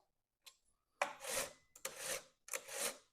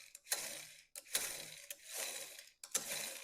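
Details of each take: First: Stihl or Husqvarna chainsaw chain pulled by hand after tightening from a sloppy, loose state: three even rasping pulls, rotating smooth and free, catching the sprocket with proper tension. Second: I'll back it off. Make it loose. Listen to the sound.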